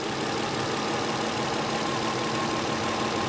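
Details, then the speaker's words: 1993 Infiniti J30, 101,000 miles, idle during injector current-ramp testing: lumpy, unsettled idle; two faulty injectors confirmed, number six high resistance, another sticking pintle; intake manifold to come off to replace injectors. "we have confirmed that we have two faulty injectors one has high resistance one has a sticking pencil or it's a delayed movement of that pencil"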